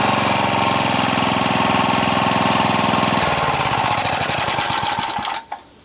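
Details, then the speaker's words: Craftsman Eager 1 four-stroke edger with Tecumseh engine, previously low rpm and bogging with no throttle control; after fixing governor linkage that was on the wrong hole, small single runs quick and even at steady speed, then stops cleanly: normal running. "was it well that was a super easy fix uh sorry my neighbor just uh fired up his lawnmower over there but that was a super easy fix i could tell it was a governor problem"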